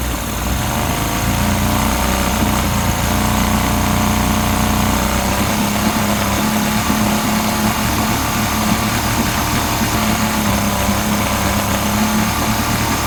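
Loud, rough idle with an uneven, stumbling beat under a buzzy drone, a cylinder dropping out now and then; the outboard is misfiring.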